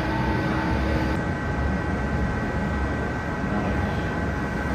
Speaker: so that sound is the sound emanating from our stellaris elite fake emulsification system the bells indicate that there's fluid going into the eye when you hear that constant humming sound that indicates that not only is the fluid going into the eye but fluid is being vacuumed from inside the eye